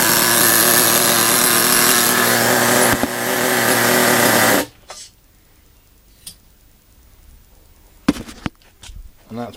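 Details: Small nitro RC car two-stroke engine, primed with nitro fuel, glow starter left on during warm-up: high buzzing scream steady about four seconds then cuts to quiet clatter; starting and running fine.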